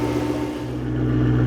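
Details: BMW E92 M3 at smooth even idle after repair at a shop, low hum with steady tones, no knocks or squeals; the part is seen spinning as it should. Normal idle.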